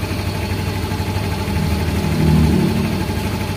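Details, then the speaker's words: Yamaha Mio M3 / X-Ride Blue Core scooter, after idle air control reset: starts easily and settles at about 1450 rpm, an even, steady putter with no dips or surges; normal idle. "Nah untuk hidupnya motor enak ya langsung di 1450 kita Biarkan aja dulu"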